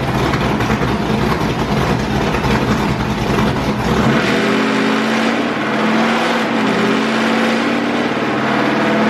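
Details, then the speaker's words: 6.0L LS-swapped Willys Jeep with LS cam and heads on dyno, breaking up at the same rpm each pull; tuner suspected electrical cause. High-rpm note goes ragged and loses drive; valve float. "so same thing i heard it break up one second should have shot past that i'm thinking there's something electrical that's the only thing that could magically do it at that rpm"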